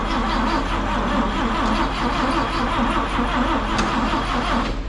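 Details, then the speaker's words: 1958 Chevrolet Apache long sitting, after new rotor, cap and plug wires and a couple of pedal pumps, steady rhythmic starter churning five seconds with no firing; cranks but won't start; a broken wire may be grounding out. "even acting like she's trying Let's uh check her for spark"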